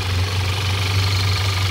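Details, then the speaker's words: 2014 Audi A4 2.0 turbo petrol engine idling smoothly with no hiss or irregular beat after a part and hoses were replaced to fix a misfire and system too lean code P0171; the problem is gone. "all right now it's time to test it just turn it on let's see all right there's the key go [Music] and we see the problem is gone"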